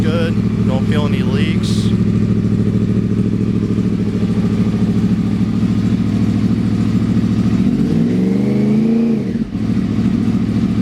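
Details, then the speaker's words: Motorcycle with freshly repacked, re-riveted Graves Link exhaust canisters: steady idle then a clean rev that climbs and falls without popping or rasp; checked for leaks around rivets, sounds really good, normal exhaust note. "Make sure I don't have any leaks. You want to feel around your rivets, make sure everything's good to go. Everything sounds really good,"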